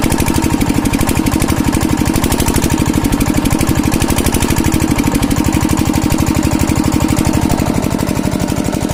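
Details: Kirloskar single-cylinder diesel engine, after diesel filter replacement to cure a starting problem: steady, even thump around 146 beats a minute with no misses or knocks, running clean and healthy.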